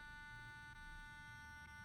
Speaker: There's something wrong. And I can't turn off. She don't want to turn off. So yeah, this is an issue with this battery.